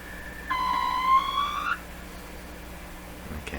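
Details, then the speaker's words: 1925 Lacault Ultradyne receiver, B plus being raised with no antenna connected: loud whistling howl near 1 kHz sweeps upward for about a second then cuts out; oscillation or feedback squeal, no regenerative circuits known, cause suspected. "far as i know there's no regenerative circuits in in this radio anywhere so but there's all kinds of possibilities for feedback especially especially with me here"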